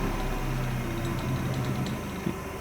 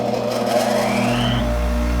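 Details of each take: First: Restored 1965 Craftsman bench grinder with a Harbor Freight wheel, coasting down: steady low hum dropping with a faint uneven throb, vibration felt and grinder walking without brackets, seemingly from that side; grinding wheel imbalance, owner plans a truer 60-grit wheel. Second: Restored 1965 Craftsman bench grinder, original sealed bearings repurposed with oil, new wheel fitted: even motor hum with no wobble or thumping, then a clean smooth wind-down; runs smooth as butter, the oiling process appears to work.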